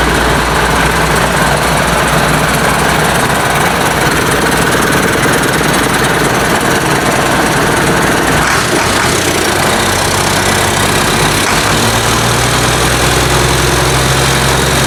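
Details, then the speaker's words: International DT466 diesel for a 1966 Ford F250, first start after fuel priming, no muffler: loud, raw, evenly rhythmic clatter at steady idle with no separate knock; oil pressure unchecked; normal idle. "but anyways you see it running it runs really good uh don't know about oil pressure or anything like that i haven't hooked the gauge up to it um i'm pretty sure it's fine i don't hear any um knocks or anything"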